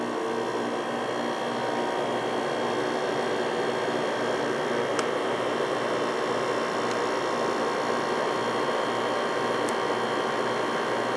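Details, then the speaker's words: New Kenmore 5,200 BTU window air conditioner, model 253.70051, 115-120V 475W, R410A, made January 2012, camera placed to pick up the compressor: a steady, even hiss and low hum with no knocks, rattles or cycling, running normally. "Do a quick startup for you. Put the camera over here so you can hear the compressor running."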